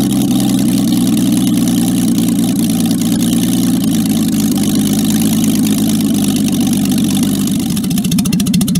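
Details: Jaguar XK6 inline-six in a homemade aluminum boat-tail speedster, tuned after towing to the yard: smooth, even open-pipe idle with a steady low burble and no misses, knocks or ticks; normal idle.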